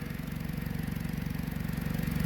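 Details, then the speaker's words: Dodge Journey idling, exhaust leak at a broken clamp on an aftermarket catalytic converter, exhaust felt escaping; rapid, even puffing tick over a low rumble, louder when given gas. Car also has an open cat converter recall. "You can feel the exhaust escaping right there. So when I give it gas, it's kind of loud."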